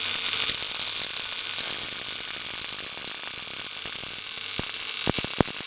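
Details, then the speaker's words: Antique violet ray machine with a vibrator interrupter driving an argon-filled glass probe on mains voltage, casing leaking shocks: fast, sizzling high-pitched buzz with sharp clicking from the interrupter. Normal interrupter buzzing. "So there's what happens with the tube, and you would apply that onto the, you can hear it clicking."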